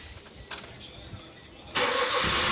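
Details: Maruti Suzuki Alto K10 that was cranking but not starting: a quiet stretch, then the engine catches and settles into a steady, hiss-heavy run; starts and keeps running.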